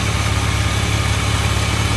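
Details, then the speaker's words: Jeep WJ with an aftermarket VDO electric cooling fan whose connector wiring burned; engine temperature reached 270 degrees: loud, steady low droning roar with a rough buzzing edge from the worn-sounding fan; noisy cooling fan. "um the thing makes a ton of noise as you can hear and just learn from my mistakes"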